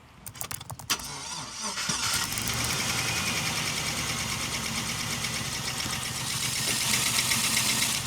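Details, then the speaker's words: Chevrolet LS V8 with a blown motor cranks, catches and rough-idles with hard, fast metallic knocking throughout. Exact cause unknown; engine knock. "Yeah, you hear that? That's a knocking LS. Now I'm not sure exactly what's wrong with it, but it ain't right."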